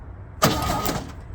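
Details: 1964 Chevy C10 pickup on its original drivetrain, first start attempt in about 30 years in cold weather with a fresh battery: a short, brisk burst of cranking, the starter spinning the engine freely, then stopping; the starter sounds healthy.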